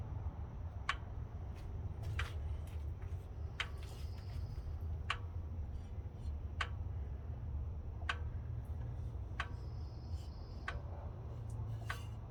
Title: ran for a minute and a half then died followed by this ticking noise